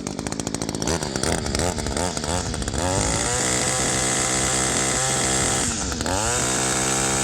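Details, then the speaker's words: Echo two-stroke line trimmer with barrel-style carburetor, before high-mixture adjustment: rough blubbering four-stroking that now and then clears to a smoother higher RPM note; high-speed mixture too rich. "so I hope you can hear that but it has sort of two tones to it there's a there's like a rough sort of a four strokes down and every now and again it kind of kicks up and raises the RPM a little bit to a little smoother sound that's where we want to be with this thing right now it's running a little bit too rich"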